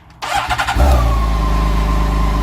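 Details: BMW K1600 motorcycle after fitting a new lithium battery with brass L-bracket terminals: short starter whir, engine catches right away and settles into a strong steady even idle; normal start.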